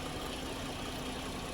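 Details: 2010 GMC Acadia 3.6 L, sat two years, idling after timing chain, sprocket and VVT actuator replacement; fresh coolant, running about 210 degrees, codes not yet cleared: steady, even hum, no knocks or ticks, idling smoothly.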